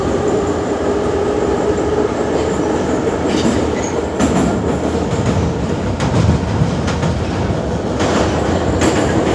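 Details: Kyiv metro car No. 10327, type 81-717.5 (LVZ/VM), Sviatoshynsko-Brovarska line near Beresteiska, running at speed: repeated sharp knocks from a flat spot on a wheel.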